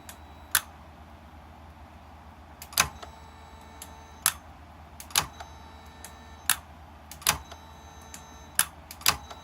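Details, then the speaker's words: Bench test of a known-good Mercedes S-Class throttle body (ASR) actuator connected to a working gas module, before repairing a customer's unit with a suspected bad coil: crisp single clicks, about eight in ten seconds, as the clutch coil engages properly each time. "you can see it activates every single time"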